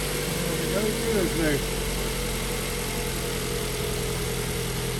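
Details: Ford Focus that cranked but wouldn't start, after replacing a blown fuse: engine catches and settles into a steady, even idle with no misses, knocks or hunting; normal idle.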